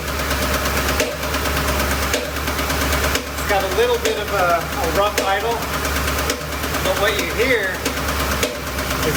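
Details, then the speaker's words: 2007 Ford Expedition 5.4L 3-valve with no codes: a rough, uneven idle with a hollow, popcorn-like pop about once a second, loud at the top of the engine and seemingly from one cylinder. "the popping noise sounds like popcorn popping but just once in a while"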